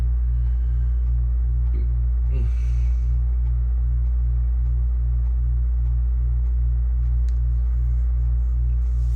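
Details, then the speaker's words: Reassembled Macintosh Classic floppy drive erasing and formatting a 1.44 MB disk: a steady low hum with even, rapid pulsing of drive motion about twice a second and no scraping or stalls. The drive is formatting normally. "It's gotta, so this should format to the right setting. Yeah, I hear it going the right way."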